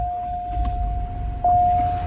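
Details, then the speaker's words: Cadillac SLS Northstar V8 after new wiring harness, new battery and good cam sensor: engine catches at once and settles into a steady, even idle; starts right up now. "Starts right up because of the good cam sensor now."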